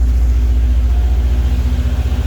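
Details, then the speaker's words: Subaru boxer idling after water pump replacement and unequal-length headers: low, even rumble with steady pulse, no knocks or whine; idles smoothly and quietly, though steam is seen from the water pump area. "sounds really nice"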